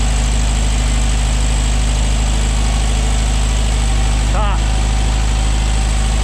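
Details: 1968 VW Beetle flat-four with a newly fitted, unadjusted no-name aftermarket carb replacing the Solex, oil-bath air cleaner refitted: steady, even low idle, pulse about 220 per minute, no misses or knocks. Idling normally.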